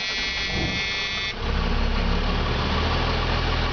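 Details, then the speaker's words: 2000 Freightliner FL-80, 250 hp 8.3 L Cummins diesel, 57,368 miles: starter cranks, then it catches into a steady even rumble at about 700 rpm idle with about 78 psi oil pressure, no knocks or misses; healthy idle. "Okay, folks, as you can see, she comes right to life there. We're sitting at about 700 RPMs, and we're carrying about 74 pounds, 75 pounds, actually closer to 78 pounds of oil pressure at an idle."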